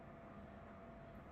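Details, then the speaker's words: Pluggit AP310 house ventilation unit in a utility room, about 70 dB: steady loud fan drone with a faint constant tone and rough undertone from the motors; worn motor bearing, fixed by replacing with 608-2Z/C3 bearings. "As you maybe can hear this one, my ventilation system starting to become very noisy."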